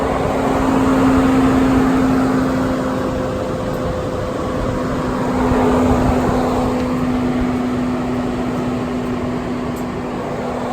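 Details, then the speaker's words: 2018 Mercedes-AMG C63 S just shut off after high transmission temperatures from a punctured, coolant-leaking radiator: the after-run cooling fan keeps a steady, even roar far louder than normal. "I know you guys can hear this now and on these AMG's there's always a fan that's running like right after you shut the car off but yeah it's it's just way too loud"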